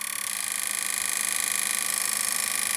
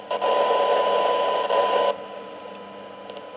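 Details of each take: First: Kenwood R-5000 receiver that arrived totally dead, powered from a bench supply as voltage is raised: harsh, hissy audio with a fast rough flutter. Distorted because too little supply current was dialed in; it works once power is sufficient. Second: Kenwood R-5000 receiver that arrived totally dead, during a 12 dB sensitivity test: a steady mid-pitched test tone stands clearly above light hiss at about −123 to −124 dBm, showing normal receiver audio with excellent sensitivity.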